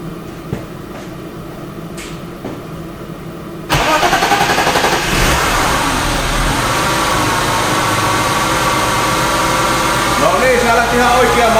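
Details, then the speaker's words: BMW M52 on a Speeduino plug-and-play ECU, restart after throttle position sensor calibration with the engine a bit warmer: brief cranking, then it catches cleanly into a steady idle; starts much better than before. "started much better when it was bit warmer."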